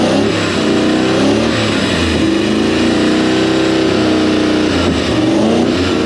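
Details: Toyota 1UZ-FE V8 swapped into a blue Land Cruiser, timing roughly set: rough, lumpy running with a stumbling uneven beat as it revs; some cylinders not firing because the firing order is wrong.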